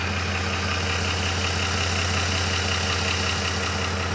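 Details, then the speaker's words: Freshly rebuilt 2007 Ford 5.4L 3V V8 at hot idle, no codes, alternator light intermittently on; smooth even idle with steady low beat, no knocks or ticks; healthy and settled. "not throwing any codes well there goes that alternator light again i don't know what the deal with that is sounds great it sounds awesome"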